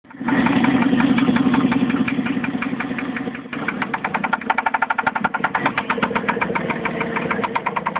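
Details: Jeep 4.7L at steady idle: sharp, regular ticking knock about four per second from the front passenger side of the engine, near the oil fill port and ahead of cylinder one; owner suspects timing belt slap, unconfirmed.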